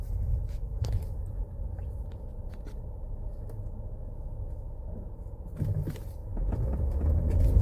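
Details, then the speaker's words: 2017 Ford Explorer after software reprogramming fix for misfire codes P0300, P0302, P0306 (previously misfired, weak power under load despite new plugs); hard-throttle acceleration test drive, deep even rumble building steadily, no stumble or cut-out. Normal acceleration. "ما شاء الله تبارك الله مو محتاج اني اوصل السرعه كامله لكنه الان اول بالاول ما يمديني ادعس شوي كذا اللي هي ما شاء الله التقطيع موجوده"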